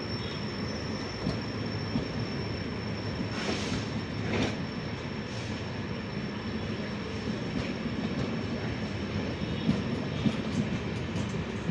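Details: Continuous thin high-pitched squeal over the rumble of a passing Toofan Duronto train hauled by an Ajni-shed WAP7 locomotive; cause unknown, owner asks what it may be (suspected wheel squeal).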